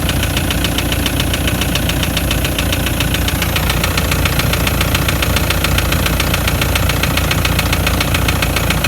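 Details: Toyota Land Cruiser Prado 120 1KD-FTV turbodiesel, 366,000 km, idling with a sharp steady knock three to four per second, started after towing a trailer up a pass with temperature rising; injectors bench-tested OK, endoscopy showed scoring in cylinder 3; cause unconfirmed.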